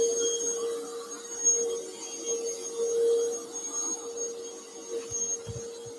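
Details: Bissell Powerforce Bagless 6579-2 vacuum, test run before tear-down; owner notes a smell and squeaky handle, belt issue suspected: steady mid-pitched motor whine with faint high whistle, even, no rattles; runs normally.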